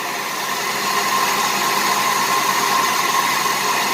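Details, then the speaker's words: 1988 Buick Reatta with a 3800 V6, restarted after sitting about 10 years. Loud, rough idle with a repeating miss; owner suspects a faulty injector because of raw fuel. "yeah it's still misfiring i had a feeling it's probably an injector because of that raw fuel and been sitting for years"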